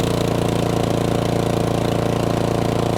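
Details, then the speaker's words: Cub Cadet 3X 30-inch snowblower after cleaning three clogged carburetor jets, choke off, under load and throttled down: steady, even beat of about 214 pulses a minute with no surging or stumbling; runs smoothly, fixed. "that sounds so much smoother now with the choke off let's put a load on it no change sounds great"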